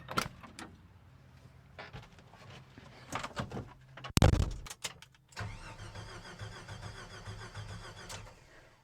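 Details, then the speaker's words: Jeep YJ cranks but won't start: starter turns the engine over at an even rhythm for about three seconds with no firing; owner believes compression is fine since it ran one week and not the next. "Today, I'm going to be covering absolutely everything you need to know to diagnose a crank no start on your YJ."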